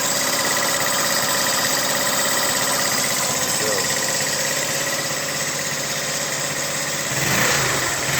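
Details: 2009 GY6 150cc four-stroke scooter, 900 miles, fixed after a no-start traced to a trashed piston and seized rings: steady fast idle, then a slight blip near the end; runs smoothly, no knock.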